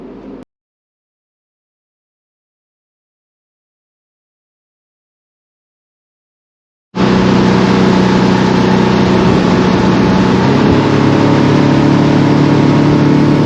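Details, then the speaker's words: Center-console boat outboard at speed on plane with the throttle held steady; the drone sags and recovers as it loses power and surges on stale fuel, which was cured by running the old gas out and refilling with fresh. "so this is a video of uh the first day and you can hear the motor uh having plenty of power and then the power drops down and I'm not changing the throttle at all"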